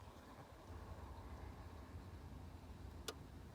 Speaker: oh yeah and then unlock you can hear the relay listen carefully that's the relay clicking five times and now it's on a dash alarm activated